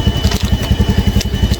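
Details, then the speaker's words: Honda Scoopy scooter that was hesitating (brebet), after a reset, with spark plug and injector not yet replaced: even steady putter at about seven beats a second, no stumbles or surging; normal idle, hesitation gone. "Udah bisa tuh, udah on. Jadi enggak berubat lagi. Berebet hilang."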